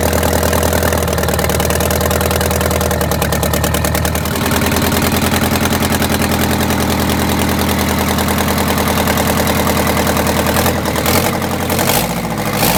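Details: Detroit Diesel 8V92TA in a Wanderlodge RV idling after a new injector replaced one that failed testing: lumpy, uneven idle with irregular thumps and a stumbling beat, still misfiring, later traced to a scored cylinder and cracked liner.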